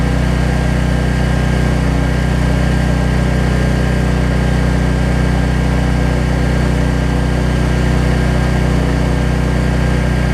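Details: Troy-Bilt 550-watt generator, after a no-spark fault was traced to the low-oil sensor module; runs smoothly with no load, a steady even drone at constant speed with no knocks, surging or hunting; output reads 264.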